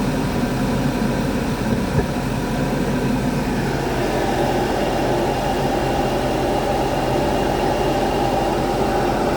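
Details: 2014 Audi A4 petrol idling with an uneven, lumpy beat and occasional stumble; misfire persists after genuine dealer spark plugs and coils were fitted, now with check engine light and code P0300.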